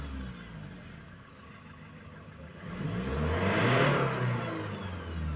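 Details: 2015 Ford Ranger 2.2 diesel after repair, no fault codes, starting first try: it idles evenly, then revs smoothly and settles back without misses or knocks during the rpm check before the test drive; healthy revving.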